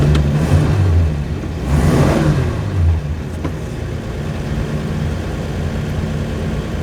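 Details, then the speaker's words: Turbo slant-six Dart with a freshly rebuilt .060-over engine, hot day, good oil pressure, distributor weights welded with timing locked at about 20°: a brief rev blip, then a steady, even idle with no knocks or ticks, sounding healthy. "sounds nice and happy"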